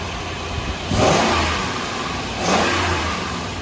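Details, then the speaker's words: Toyota 4Runner's 4.7L 2UZ V8 on the bare frame with no cooling, first restart after fixing a shorted main ground: two clean throttle blips from a steady idle with no ticking. It sounds healthy. "so we have a running and driving frame can't leave it running long because i've got no cooling in it but she sounds good there's no ticks it's awesome"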